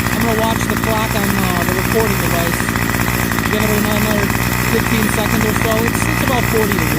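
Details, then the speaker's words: Curbside-found Craftsman 25cc two-stroke string trimmer, revived with a new fuel return line and the small divider piece left off: buzzes at a fast, even idle with no stumbling or surging while warming up; running properly. "I kind of wanted to see if I can get the whole shot in there, but it's kind of hard cuz it's long. It'll be running okay, though."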